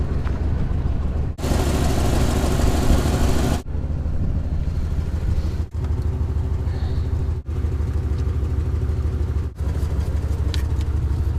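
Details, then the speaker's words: 1963 Dodge 330 engine, first start attempt in 25 years after pre-lubing cylinders, on an old battery: steady starter chugging in several bursts, engine turns over freely but doesn't catch; cranks but doesn't start. "oh yeah that was just cranking it was most certainly turning over that is freaking awesome"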